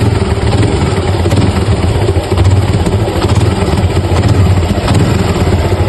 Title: Piston slap sound of motorcycles.#pistons #suzuki #trending #bike #motorcycle #india #srilanka